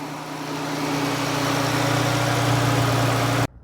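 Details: 2017 Jeep 3.2: smooth, even low hum with a steady note and no stumble or miss, then it cuts off; a clean, healthy idle.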